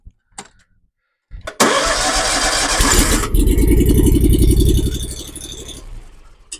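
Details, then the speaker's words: 2016 Hustler Super Z zero-turn mower, Kawasaki FX1000V engine, after replacing the failed electric PTO clutch and refitting the belt: cranks briefly, catches cleanly and settles into even, steady idle; normal start and idle after repair. "Now, we're going to hop up. See if we can start the mower. Motor started. Fingers crossed."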